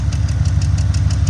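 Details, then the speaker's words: Late-model GM 5.3/6.2 V8 idling, came in for a cylinder six misfire with a bent pushrod, now replaced and misfire gone: sharp light ticking about six times a second over a deep idle; collapsed AFM lifter, fix is heads off with AFM delete. "It came in originally for a cylinder number six misfire, but the lifter is ticking."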